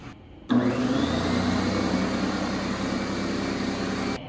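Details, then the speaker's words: Fortress 27-gallon 200 PSI oil-free compressor after replacing faulty regulator: steady even motor drone charging, no knocking or stalling; now 200 PSI at regulator and hose ports, previously stuck around 60-75. "Well, as you can see here, our problem is solved. We're getting 200 PSI to our regulator, which means we're getting 200 to our hose ports."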